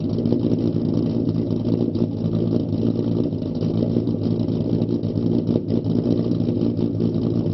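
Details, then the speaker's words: Ford Mustang 4.0 V6 with idle chop mod, idle raised from 675 to 725 rpm, startup test before road test: low, deep idle with slight rolling unevenness, the deliberate choppy cam-style idle; 675 setting had dipped to 620 rpm. "test number two the idle is now changed from 675 to 725 do a startup test and then we're gonna do a road test"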